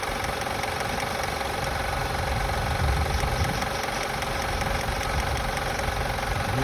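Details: 2005 Acura TL idling after starting has a light, fairly quick clicking, about two or three per second, over a steady hum; the source is not yet found.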